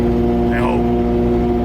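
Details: Overland truck while driving: steady low drone with a raspy edge under the engine note, exhaust leaking where a pipe lip rubbed and wore through at the expansion slip joint, not the flanges.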